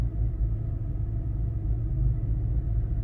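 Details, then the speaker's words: BMW M3 returned unfixed after nine months at a shop for misfires, service engine light on, runs briefly fine at startup then misfires at idle and low rpm with a deep, uneven, stumbling rumble. "This is how the car was before. Like, you first start up and it was like kind of fine for a second, and then you can hear it start to misfire at idle."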